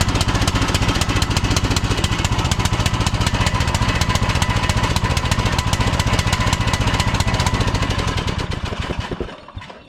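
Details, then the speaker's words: 2006 Troy-Bilt Pony lawn tractor with a knockoff Amazon replacement carburetor, old spark plug refitted. Uneven chugging about 220 beats a minute, hunting then dying; rough running blamed on the faulty carburetor; a Nikki carburetor is planned. "So, the carburetor I got from Amazon obviously does not work very well. It is supposed to be the right one for this mower."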